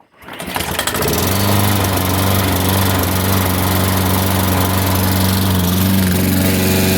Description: here's a stubborn Push Mower that refuses to start without starting fluid even primer bowl didn't help which indicates that the primer bowl may not be working so the only way that this lawnmower will start is with starting fluid